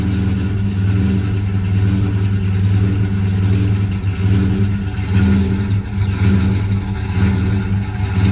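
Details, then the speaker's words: V8 car cold start at about 50°F with aftermarket mufflers; deep idle rising and sagging in slow uneven waves; rolling surge when first started cold, cause not yet found. "All right, so it's like 50 degrees out, and this has got a little rolling surge at first when it first starts up when it's cold. I don't know why it does that."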